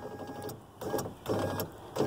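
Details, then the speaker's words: 2001 Chevy Venture door with a previously replaced window motor: three short buzzing bursts with no glass travel, the motor just vibrating because its mounting clips are broken off; fixed with a mount repair kit. "won't roll at all because I will show you here you can hear it this motor is vibrating"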